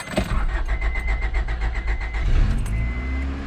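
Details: 1997 Honda Odyssey van after fuel pump replacement, first start: brief even cranking pulses, then the engine catches after about two seconds and settles into a steady smooth idle; starts fine, new pump fixed it.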